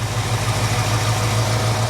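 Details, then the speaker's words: Jeep CJ-7 AMC 304 V8 idling after an oil service, oil pressure good: an even, steady burble with a regular low beat and no pinging, clanging or clunking heard. It is a normal, healthy idle. "I don't hear any pinging or clanging or clunking or anything like that."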